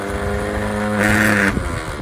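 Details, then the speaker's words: 1950 Morris LC3 truck, starter cranked direct from battery positive: starter whirs freely to a rising whine with no clunk of engagement; pinion not engaging, likely a broken spring on the starter. "okay so straight up what we can see there is that that's not engaging so and what I can see there I think we've got a broken spring as well"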